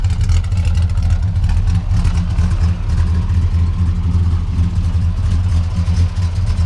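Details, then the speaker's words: 1962 Plymouth Valiant V200 station wagon, mildly built slant six (proper compression, valve/port sizes, carb tuning, rear gear), factory power steering: low, even idle rumble with slight rhythmic lope from a mild, not full race, cam; no knocks or misses; healthy. "I'll have to do a video on the trailer, but you can hear it's got a cam in there. It's not all out race cam, but it sounds pretty good for what it is."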